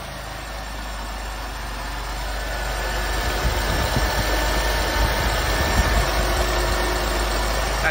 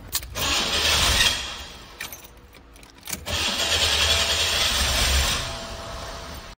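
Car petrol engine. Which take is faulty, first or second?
second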